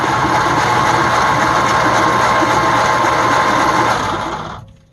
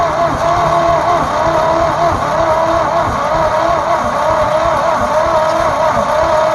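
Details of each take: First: 1948 Ford F5 bus sitting 25 years, freed-up engine, old points, plugs and wires, carburetor still suspect, first crank: even whirring crank near four pulses a second winding down without firing; engine turns freely. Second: Abandoned 1948 Ford F5 bus after sitting 25 years, fuel poured down the leaking carburetor: slow, dragging starter churn with loose uneven rhythm, no firing; weak battery not turning it over fast, charger to be hooked up.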